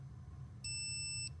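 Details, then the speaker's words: Multimeter set to continuity with leads touched together, while testing a Whirlpool Thin Twin dryer whose thermal fuse blew twice: a steady high beep for about two-thirds of a second over low hum, confirming the meter works. "and when I touch the leads together, if I can do it with one hand, the meter will beep,"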